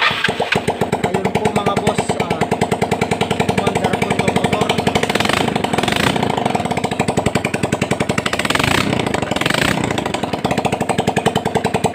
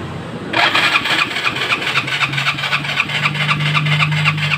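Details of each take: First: Yamaha Mio Sporty scooter brought in not running, after air cleaner cleaned and carburetor checked: putters steadily at idle with an even, rapid firing beat for the whole run. Normal idle. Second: Yamaha Mio Sporty scooter with a noisy torque drive: the starter cranks at about four pulses a second, but the engine never fires. It was later found not to start because the dirty air cleaner was soaked with gasoline.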